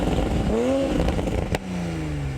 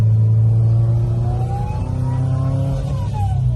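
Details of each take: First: 2020 Toyota/BMW Supra A90 on the stock factory exhaust, about 70°F outside: engine revs then lifts off with sharp pops, crackles and a soft burble as it settles; normal stock exhaust behaviour. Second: Turbo car on a test drive, tipping into the throttle: a thin whistling whirl rising in pitch over the exhaust drone under load. Turbo judged faulty and sent out to be rebuilt.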